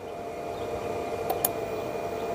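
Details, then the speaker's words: ASMOKE Essential pellet grill, after the fan was reconnected: steady fan hum with sharp clicks as the auger turns and pellets drop, so feeding works normally, though an igniter error code follows. "hear it clicking. It's moving, it's dropping, it's dropping."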